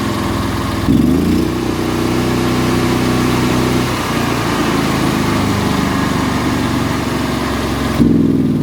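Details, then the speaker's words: Hobart Champion Elite 225 welder engine after the idle solenoid fix: it jumps straight to high speed, drops to idle after about four seconds, then snaps back up instantly; run/auto-idle switching, once slow, is now instant and normal. "But like I even noticed before when when I would use the switch to go from run to auto idle, it would take a while to do that. It wouldn't be an instant thing. It's instant now."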